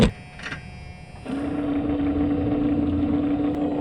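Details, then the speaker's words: Truck with windshield wipers not working, motor tested during diagnosis: it kicks into a steady, unloaded hum with no sweep thumps or load changes, spinning free because the wiper linkage has come disconnected. "perfect so that motor is turning you can see that lever maybe there that's spinning so we have obviously just lost the links"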